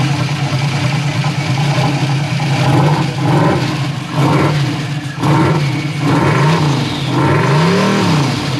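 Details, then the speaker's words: Boosted Chevrolet Silverado V8 revving up and down roughly, with an uneven knock under the roar; the engine is blown. A starter fault makes it crank as soon as the battery is connected. "there you go blew the motor it's done"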